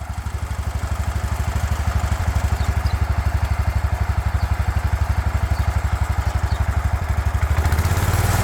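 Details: 36-year-old Toro Wheel Horse 416-8 garden tractor after fixing a leaking fuel line: single-cylinder pops steadily about four times a second, even beat, then picks up speed at the end; sounds pretty good, normal running.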